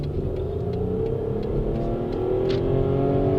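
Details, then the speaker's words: Toyota 1MZ-FE V6 after a bearing repair, road test under hard acceleration: the engine pulls strongly, its note climbing cleanly with revs, with no knocking and the knock sensors no longer kicking in. Normal acceleration. "Yeah, it's doing all the right things. No noises, and it's pulling really hard, which is what I'm used to."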